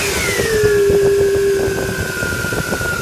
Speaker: still hear a little bit of a whining noise as we're getting that air out of there and a lot of times when you do hear that whining noise with your power-steering most of the time it's because of air in the lines